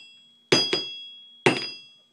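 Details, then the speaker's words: Two hammer blows on an all-steel anvil, each leaving a clear, high, lingering ring, unlike a cast iron anvil. "This is what a all steel anvil sounds"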